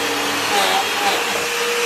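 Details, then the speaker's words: Hoover vacuum cleaner after drive belt replacement (previously would not pick up or spin): steady high motor whine with even air rush, brush roll lowered to floor turning normally, no slapping, squealing or hesitation. "And now we'll bring it down to the floor, and you can see it turning just the way it's supposed to."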